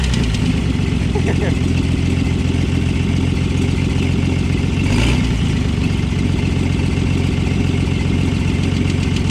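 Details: 1960 Bombi tank's engine on its first run after its distributor was rotated 180 degrees, with ATF left in the cylinders: rough, uneven idle with a light ticking clatter over a low drone. Described as a bit of valve knock; head later removed, scoring found.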